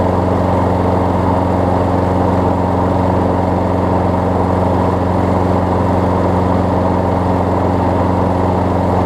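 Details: Craftsman 6 hp self-propelled mower after a new pull rope, spark plug and air filter, started on the first pull: an even, steady drone with a constant beat and no stumbles or knocks; it runs clean and healthy.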